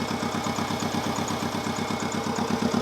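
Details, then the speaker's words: 1992 Subaru WRX EJ20G flat-four idling after coil pack conversion to 2002 WRX coils: steady low pulse with a faint unevenness, a misfire from cylinder four's pins wired in the wrong orientation. "in my case I put the pins on cylinder four in the wrong orientation so it had a misfire I mean it sounds alright"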